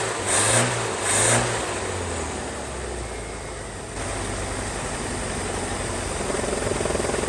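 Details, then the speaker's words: 1978 Ford Mustang 2.3 four-cylinder, first long run in decades, new aluminum radiator: engine idles roughly with a wavering, hunting note from a major vacuum leak, brake booster hose disconnected. "I didn't notice until maybe a couple minutes later because it was kind of running rough and I was wondering why, and I had a major vacuum leak there with the hose in the back just sucking away"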